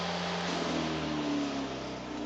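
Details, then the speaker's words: Homemade remote-control lawnmower converted to electric, powered by two DeWalt adapters: a short rising whine for about a second as the motor spins up, then a steady run; nothing found rubbing, cause undetermined. "There's nothing hitting. I don't know why it's making that noise. I don't know why when it starts up it does that."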